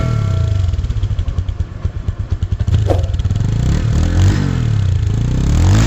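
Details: Bajaj Discover 135 DTS-i after timing chain check for engine noise: engine blips up and back down cleanly with the throttle, no rattle or clatter from the timing chain area.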